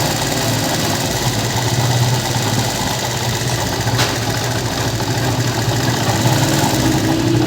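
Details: Motorcycle engine after replacing the primary (main cushion) gear, started and put in gear: steady, even run with low hum and light top-end tick (tappet), no gear whine or rattle; normal idle.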